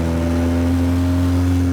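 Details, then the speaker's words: Audi A3 Stage 2 tune with CTS downpipe, low revs light load in fourth gear, heard from cabin: deep steady boom plus pops; loud exhaust drone from loose clamps and completely disconnected midpipe. "the pops are sick right but that drone is so bad from the inside of the car man so um I'm going to do another one here once I turn around show you what I mean but yeah it's not supposed to be like this"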